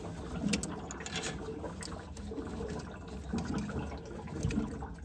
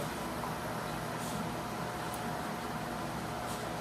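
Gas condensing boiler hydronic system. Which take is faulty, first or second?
first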